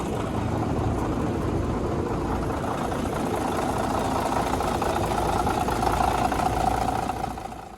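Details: 1951 D8 2U dozer diesel, sitting in a barn since about 1990 with the big motor once stuck, running on its own power for the first time since: a steady, even chug at fast idle, pitch lifting slightly near the end before dropping off, running cleanly.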